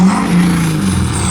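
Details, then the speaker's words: Ford 6.7L Powerstroke diesel with new 64mm Stage 2 turbo and AMDP tune, free rev held near the limit at about 3,500 rpm: loud deep roar with rising turbo whistle, no knocks or misses; healthy. "Only got 3,500, one more. That is rowdy."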